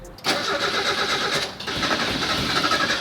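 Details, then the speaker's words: Barn-find Mazda Miata sitting 3 years, fresh gas added: long cranking, engine catching a few times before running; slow start, owner thinks fuel pump just started picking up. "oh it's [Music] starting almost I think the fuel pump just started picking up there we go she's on it started"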